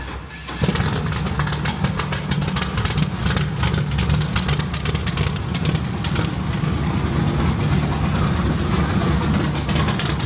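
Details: Chevy truck started after a connector repair (pin soldered and reinserted), with some gas added to get it going: engine catches within a second and settles into a steady, even low rumble with no misses; healthy start.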